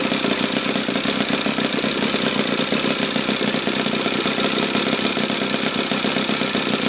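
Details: Used eBay Saito FA-60T flat-twin model engine, first bench test run before refurbishing: fast, steady buzz firing evenly with no stumbles, misses or rattles; runs well from low to top RPM.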